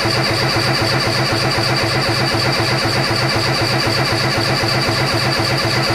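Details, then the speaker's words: Peugeot 205 freshly rebuilt engine (new clutch, 206/306 flywheel), coil disconnected, cranking on the starter: steady, even two compression pulses a second, no firing. "la bobine base est débranché la bobine et franchement je trouve qu'il fait un joli bruit de moteur qui démarre pas encore encore résident 565"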